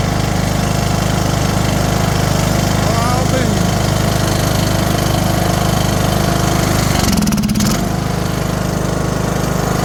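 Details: Briggs & Stratton 18HP single-cylinder mower engine running after reassembly: valve seat reset and crimped, valves cleaned, exhaust valve lapped, valves adjusted, new carb. A loud, steady, even thump with no misses or knocks; it fired right up.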